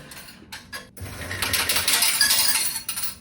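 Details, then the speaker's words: Laundromat coin changer hopper after its jam was fixed: a few quick metallic clinks as four quarters drop into the tray, with no grinding or stalling. Normal payout. "Aha, there we go. We got four this time."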